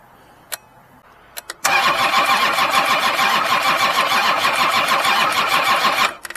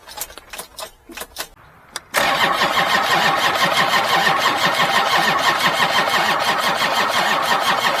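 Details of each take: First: Kubota diesel cranked with a Lokithor JA3000 lithium jump pack in about 30°F weather. The starter spins briskly and evenly, around three compressions a second; cranking speed sounds healthy. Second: Old Kubota diesel in about 30°F cold: steady, labored cranking at about three beats per second for seven seconds without catching; slow cranking, no start.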